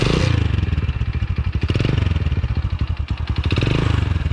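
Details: 1999 Hero Splendor single after restoration with changed exhaust, started in neutral: quick, even thump with clean, regular exhaust pulses and no ticking or knocking; normal healthy idle.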